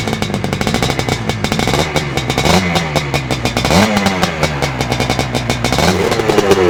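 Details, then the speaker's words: Fully restored 1983 Husqvarna 250 twin-shock two-stroke dirt bike, once a neglected wreck: a crisp crackle rising and falling cleanly with each throttle blip, picking up evenly; healthy, well-running engine. "Okay, we've had a look at the bike, we've talked a bit about the restoration, so let's just get Alastair to fire the bike up and let's have a listen to what she sounds like."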